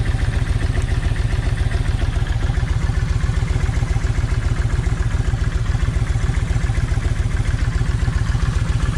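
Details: Kawasaki Vulcan 1600 V-twin, loud lumpy idle about 220 thumps a minute, uneven beat; left cylinder's plug stays wet. Owner removes a plug wire to tell bad coil from bad plug wire; no change heard.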